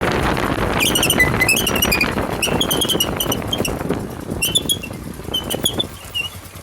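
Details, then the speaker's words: Motorcycle: sharp high chirping squeals over rolling noise when the drum brake is applied. Glazed brake shoes are squealing; a simple fix follows. "दोस्तों अगर आपकी bike भी break लगाने पे इस तरह की शोर करती है इस तरह की आवाजें निकालती है ची ची की"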